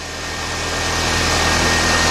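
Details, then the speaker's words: 1993 Nissan Altima after new alternator install, now charging and warning lights out, idling about five minutes for a dye oil-leak check: smooth, even idle with a faint constant high whine, no knocks or misses. Running normally. "we know it's charging now we're going to be doing we're gonna let it run for like five minutes"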